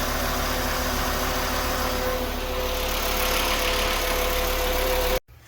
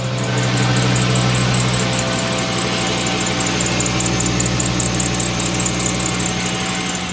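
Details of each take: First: 2011 Volkswagen Jetta after belt tensioner replacement to cure a squeaky belt: steady, even idle with no chirp or squeal, smooth hum until shut off; normal idle. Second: 2010 VW Jetta at idle: high chirping squeal pulsing a few times a second from the serpentine belt; fixed by replacing the worn belt tensioner.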